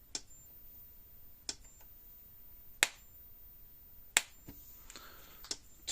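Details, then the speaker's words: Premier 1 Hotshock 1000 fence charger, about 9,000 volts on fence voltmeter, arcing fence to ground: sharp bright snaps about every 1.5 seconds with quiet between; strong, normal spark discharge. "i want to show you the spark this thing throws i want to go from fence to ground or ground fence doesn't matter it's going to create a spark"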